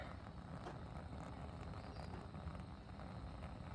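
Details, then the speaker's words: HomeBiogas burner after troubleshooting fixes for pulsating gas flow (condensation in the pipe initially suspected): continuous, even low roar with no pulsing or surging; steady burner flame. "no it is not that's a continuous stream of gas so it looks like our fixes today have actually been effective"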